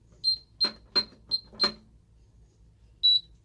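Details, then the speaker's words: Ademco 6139 alarm keypad showing telco fault and check zones: five short high beeps about three per second, a pause, then one more, the trouble warning for a telephone line fault. "We have our telco fault and we have our check zones. We'll let it start beeping here and then we can start the test."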